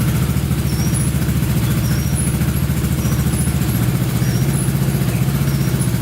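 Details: Honda Big Red ATC 200 (200cc) three-wheeler, barn find sat over 6 years, carburetor reinstalled and since stopped leaking: steady, even single-cylinder thump at idle, constant loudness, no misses or surging; normal idle.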